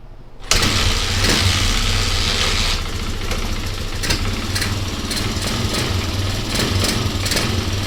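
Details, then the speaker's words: Basket-case Honda XR200R single-cylinder engine, after getting spark, carb spray and earlier suspected timing-chain/clutch-side rattle: fires on first catch and settles into a crisp, even idle with no misses or rattle; normal start and idle. "all oh that sounds great"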